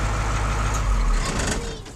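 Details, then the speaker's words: 1984 Ford L8000 dump truck with Caterpillar 3208 diesel, sat 3–4 years, restarted: deep steady rumble settling smoothly with no misses or knocks; clean normal idle. "so ah we're going to try starting this up again listen to that cat that just runs just"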